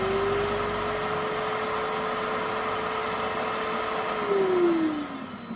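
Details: Multi-purpose blender reassembled after repair, safety switch engaged: smooth steady motor whine at constant pitch, winding down evenly; runs normally.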